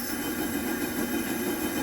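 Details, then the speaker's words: Coleman 414 Powerhouse two-burner liquid-fuel stove from August 1993, generator heated during priming: a steady, even hissing roar with no sputtering, popping or surging as it burns blue; normal burner operation. "p until we get beautiful blue flames what's happening right now is we're heating up that generator we want to heat up the generator so that it'll turn the liquid fuel to a vapor or a gas"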